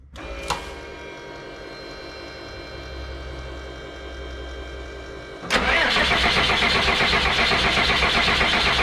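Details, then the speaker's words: 2001 Freightliner bus with 24-valve Cummins diesel after fuel filter change, two injector lines cracked open with a 19mm wrench while cranking: starter turns it over steadily without firing, then harder and louder; no start from air in injector lines, bled until fuel spits. "As soon as there's fuel spitting out of there and it starts to want to go, shut it off. Don't let it run like that."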